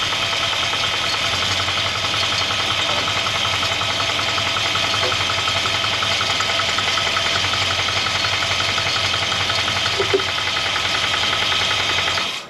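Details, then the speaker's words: 1963 Jaguar Mk10 with swapped Mopar 440 V8, first run after sitting since 1972, 70–80 psi oil pressure: uneven knock, three or four a second, over idle, heard via screwdriver from lower crank area; owner suspects a lifter, unconfirmed. "Now when I got on, I'm just using a screwdriver, it sounded very clean. It sounded more lower crank area. Maybe it's got a funky lifter."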